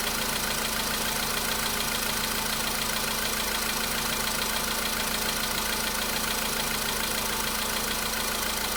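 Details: VW Polo Sedan (CFNA engine) cold start a day after oil change and flush with flushing oil: light, even tapping about three times a second over cold idle, knock absent yesterday, now slight; source unknown.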